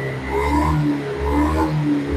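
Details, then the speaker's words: Honda Scoopy scooter, warm engine: it idles but surges and dies whenever the throttle is opened. The problem persists after servicing the throttle body and cleaning the injector and air filter. "perhatikan pas Posisi saya guys tadi langsam begini kan mau dia tapi begitu ditarik gas ini kan mati"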